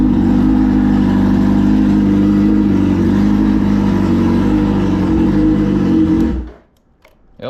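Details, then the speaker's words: Suzuki Hayabusa motorcycle engine after a battery swap: runs smooth and even at steady speed with no knocks or rattles, then shuts off cleanly; charging confirmed, healthy. "definitely started. All right, and it was charging, so that's cool."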